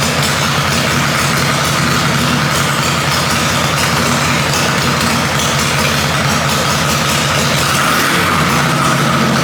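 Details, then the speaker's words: Harley-Davidson Panhead chopper after a top-end rebuild, just after the ignition timing was retarded: loping but steady V-twin idle with no pinging or stumbling, running clean and even; normal idle. "as you can hear it definitely like that timing change"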